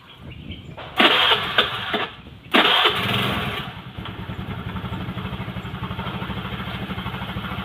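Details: Honda Vario 110 carburetor scooter after repair of sputtering, hard starting and a dead headlight, all body panels refitted: short cranking bursts, then it catches and settles into a steady, even idle; starts easily.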